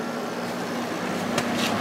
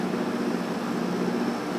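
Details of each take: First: Probably late-1980s Emerson Quiet Kool 6,300 BTU window air conditioner running: steady hum with faint buzzing vibration over airflow; fan motor shaft moves in and out, owner thinks a thrust washer is worn out. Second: Probably late-1980s Emerson Quiet Kool 6,300 BTU window air conditioner: soft steady fan whoosh with low even compressor hum, no rattle or grind; runs quietly, strong airflow.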